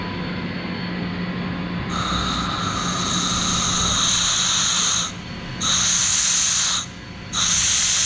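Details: CompAir L11 fixed-speed rotary screw compressor on 208 V three-phase with separate 110 V dryer, building pressure after start: steady motor hum with loud hissing air bursts as the outlet opens and closes; running normally.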